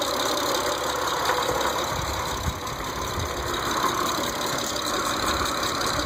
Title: 06 eclipse gt ticking noise